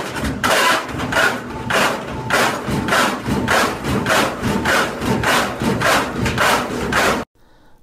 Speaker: how do you know if your machine is unbalanced if you happen to be around when it goes into the spin cycle you will hear some pretty alarming banging and pounding noises like this